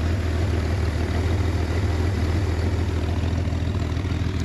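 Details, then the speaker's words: 1966 Chevrolet Corvair Monza convertible, warm flat-six idling in neutral with parking brake on, started without throttle, well tuned: deep, even purr of about three pulses a second, no clatter or stumble, normal idle. "ce qui prouve que elle est bien réglé qu'elle démarre impeccablement ouais ça ronronne bien"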